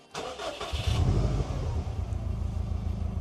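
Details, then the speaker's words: Subaru Impreza WRX, sat unused for a while, started without a jump: brief crank, quick catch and short rev, then steady even idle with no misses or knocking; engine sounds mint, though the ABS light is on. "but that sounds within mint, doesn't it? That's one thing is the engine will probably be fine, isn't it?"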